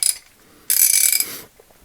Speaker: take your ring let's see if it's ratting it's switching and ring hear that noise that's the switch